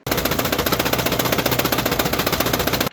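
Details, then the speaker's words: Australian-built Leyland Mini Clubman 1275 in a customer's clip: loud, heavy hammering about four knocks a second drowning the engine; knocking its head off and stalls when the clutch is pushed in; crankshaft knock, broken crank with worn big ends. "right so as you saw that thing is Cactus he said he's knocking off his head when you put it for the clutch the engine stalls now that is a really really bad sign"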